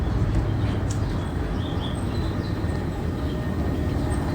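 Deep, steady rumble with an even low churn and no knocks or scraping; elevator running smoothly.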